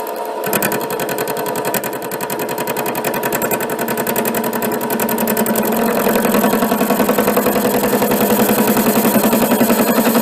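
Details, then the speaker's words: HiTorque 5100 7x16 mini lathe facing a heavy workpiece: steady rapid ticking, three to four hits a second, over motor hum as the tool strikes ridges on the uneven edge; cut too deep, tool backed off; interrupted cut chatter. "What you hear there is the uh cutting tool hitting these ridges on the edge, but the actual cut looks like it's a little deeper than I want to take."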